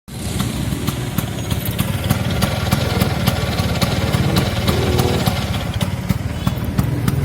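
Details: Arancio two-stroke engine after an engine rebuild: a crisp, steady beat with even popping exhaust pulses and no rattles or misfires; running healthy.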